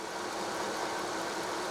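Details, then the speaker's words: Jump-started Mercedes S-Class (bought for $400, battery dead) idling: steady, even hum with no squeal, chirp or ticking; pulleys quiet, little oil on engine, no leaks seen. Normal healthy idle. "So, it sounds pretty good. Honestly, there's not a ton of oil on it. I'm not seeing any leaks. The pulleys are quiet."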